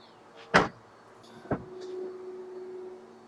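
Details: Tesla power window after home repair by a Tesla Ranger: short, even motor hum as the glass travels, firm clunks at the stops; window regulator working normally, felt faster than before.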